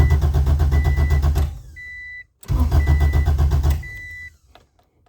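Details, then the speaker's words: Acura Integra (DA) after a JDi main fuel pump relay and kill switch install: steady starter cranking about four beats a second with no catch, twice, then the chime; the kill switch was flipped, so the fuel pump is cut and it cranks without starting. "as you can see a no start problem or not problem but a no start condition and that is because I had that I had the kill switch flipped over"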